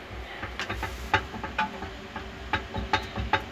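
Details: Perfecta electric convection oven, upper fan, a new 2022 unit: steady hum with scraping ticks about twice a second as the fan rubs its housing. The bearing is firm but the shaft has play, or the key has shifted.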